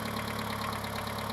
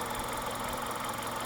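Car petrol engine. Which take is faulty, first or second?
first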